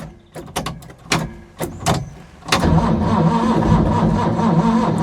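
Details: Ford Capri 3.0L V6 race car replica stored 20 years, fuel primed, manual choke, weak battery: starter whirs in short stabs then a longer crank that never fires; no-start from no spark, later traced to dirty ignition points.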